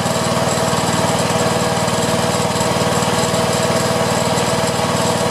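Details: Honda 3011 riding mower revived after years sitting, blade pressed straight but maybe still bent: rough rapid chatter about four pulses a second with blade engaged. Vibration under blade load, possibly out-of-true blade suspected.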